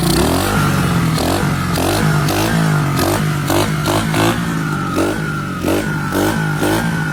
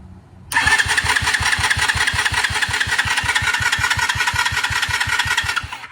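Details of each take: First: 2021 Kayo 70cc kids' dirt bike, under 5 hours, after carburetor removed, cleaned and reassembled to fix a no-start fuel issue: small single revs crisply and drops back cleanly with no stumble or bog; normal running and revving. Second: 2021 Kayo 70cc kids dirt bike (listed as 50cc), under 5 hours, new battery fitted, choke on: starter cranks steadily at about 160 pulses a minute but never catches, so no start.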